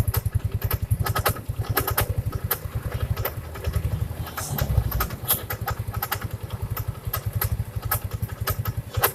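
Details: First-generation Yamaha Mio scooter at idle: fine at first, then seconds later sharp, uneven clicks and scrapes tick over the low thump; something rubbing at the front of the CVT area, noise gone with the cover open.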